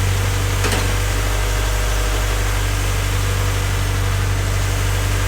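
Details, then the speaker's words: Honda Civic freshly rebuilt D16Y8 engine just after first start-up, idling before any throttle: even, steady low idle rumble, no knock or misfire, a faint light tick underneath; bottom end sounds healthy, normal idle. "Right now it's running. Like I said, everything sounds smooth. I'll just let it run for a bit before I start giving it any type of throttle."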